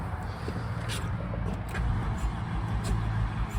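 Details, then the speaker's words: $200 Honda CR-V with seized wheels, brake cleaner sprayed in: deep uneven starter churning with no firing, no fuel pump heard; owner suspects no spark; cranks but won't start. "So you can hear it sounds weird. So I'm not getting nothing at all. I don't even hear the fuel pump or anything."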